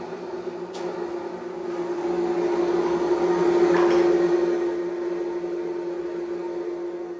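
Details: Off-grid wood-fired boiler just lit, cold start button pressed to run the blower hard: a steady mid-pitched drone swelling and easing over several seconds; normal blower operation at cold start.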